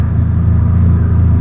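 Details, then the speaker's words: Corsair engine just fitted with a new carburetor and PVC couplers, started on a cold day and revved by hand: rough, uneven, slightly hunting low rumble; running a little lean, air-fuel reading 14.5. "Got it running. A little lean. We got 14.5"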